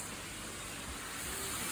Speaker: Here's your reminder to drain your air compressors if you haven't done it for a while.